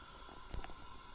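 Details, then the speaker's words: Old 10 hp snowblower engine pulled from trash, pressurized through the spark plug hole: steady airy hiss of air leaking past the exhaust valve and into the crankcase past rings; only about 40 psi compression. "if you can hear that hissing that's air leaking past the exhaust valve I'm pressurizing it through the spark plug hole and also"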